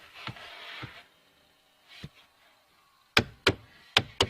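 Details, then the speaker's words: 2001 Chevrolet Silverado, key on, engine off, recirculation turned off: sharp uneven clicks about three per second from the recirculation/fresh air door actuator behind the dash, skipping its gears. "now when I turn my key on you can see I had the recirculation button pushed if I turn it off you're going to hear this thing start making that noise here in a minute"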